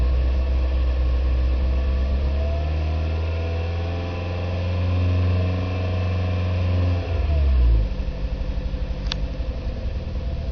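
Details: Nissan Micra K11 1.0 petrol: revs, then an uneven idle with a recurring stumble as cylinder 1 misfires below 2,500 rpm.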